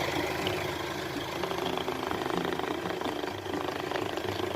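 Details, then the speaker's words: Diesel idling, shown as a healthy example: steady, even idle with light regular clatter, no uneven knocks or misses; normal diesel idle. "ini mobil diesel ini sehat sobat kita bisa cek suaranya"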